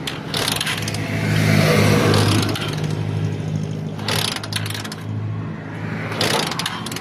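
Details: Honda TMX125 Alpha with weak spark, no-start: repeated kick-start swooshes, spinning over without firing, kicked to test stator output, which proved strong. Wiring to the CDI was checked next; the ignition coil was ultimately found faulty.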